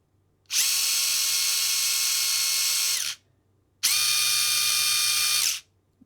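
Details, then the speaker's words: Furitek Grasshopper brushless system in Losi Micro-B, firmware 1.6, no throttle limiter enabled, rotation counterclockwise, medium startup power; two full-speed whine bursts differing in pitch, still more speed in reverse than forward, cause unknown. "so we're still definitely getting more speed in Reverse than forward"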